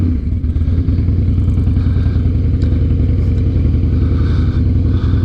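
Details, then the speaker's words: 2007 Harley-Davidson Night Train V-twin idling after replacing noisy, low-pressure fuel pump and holed in-tank fuel hose: steady, even low thump about 3.5 beats per second, no pump whirr or buzz at start; healthy. "Now this fuel pump doesn't make any noise when you go to start it, and things are looking up. Hear that? No noise from the fuel pump."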